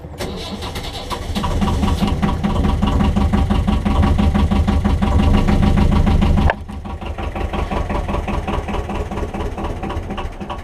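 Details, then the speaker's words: BMC 1.5 diesel narrowboat engine, glow plugs primed at least 60 seconds: steady cranking about three beats a second with throttle, catching weakly without firing cleanly; hard starting that happens every time. "can hear she's catching but not quite starting. I'll try again. And this happens every time I start the engine."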